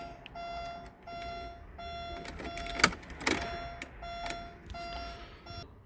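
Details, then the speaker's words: 1997 Porsche 911 Carrera started indoors during inspection: repeated short high-pitched beeps, about one to two a second, with handling clatter behind, as the armed anti-theft alarm blocks the start; once disarmed it runs well. "there was an alarm on so i had to do that but it does run runs well"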